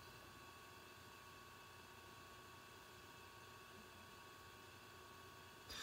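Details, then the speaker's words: Dell XPS 8930 desktop in its original configuration, before the fan-noise fix: a constant airy rush with a faint steady whine that never eases off, sounding like a jet engine all the time; loud cooling fan noise. "so if you have bought an evening 30 and it sounds like a jet engine all the time"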